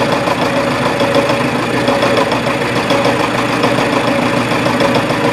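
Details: Reverse boring on a mill, 0.020 in cuts, speed not yet raised to about 107-108 sfm: steady mid-pitched cutting hum with rough, uneven pounding about once a second; the interrupted cut hammers the tool, though finish is better than expected.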